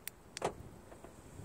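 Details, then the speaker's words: Car with a newly installed remote start, lock button pressed on the fob: a couple of sharp, quick clicks as the door lock solenoids fire normally. The unlock command gives no solenoid sound and nothing unlocks. "Now if I push the lock button, you can hear the solenoids click."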